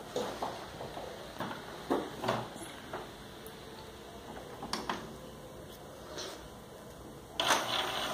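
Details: Epson XP-214-series inkjet powered on after refillable cartridges were installed: scattered clicks, short whirs and carriage shuffles with no grinding, the reset it runs at every power-on before positioning cartridges; a normal startup cycle.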